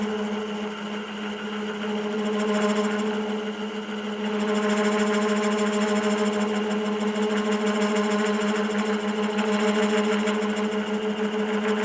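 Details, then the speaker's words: Wood lathe humming while a Sorby spiraling/texturing cutter bites hard with strong side pressure against the lathe axis; a rough, raspy growl swells under the heavy cutting load. "now it's got a lot of side pressure against the axis of the lathe and you can hear the lathe growling at me not real happy about it"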